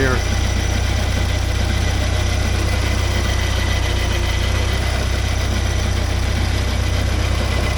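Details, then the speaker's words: 1979 Porsche 924 at idle with a new alternator fitted: steady low drone with a faint continuous whir up front; owner suspects the alternator, not sure, and plans to check with a stethoscope. "I hear some sort of noise. I'll see if I can get my snooper. I'll get an ear thing out and see if I can figure it out."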